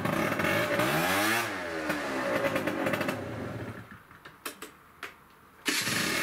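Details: Peugeot Speedfight 50cc two-stroke scooter after a full fix from non-runner (carb, jets, variator, rollers, exhaust): revs rise and drop back crisply, then fade as it rides away; it runs cleanly.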